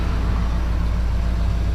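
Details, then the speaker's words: 2005 Ford F-350 6.0 Powerstroke diesel after new IPR valve and injector: deep even idle rumble firming slightly as the exhaust back pressure valve kicks in. "back pressure's kicking in, hear"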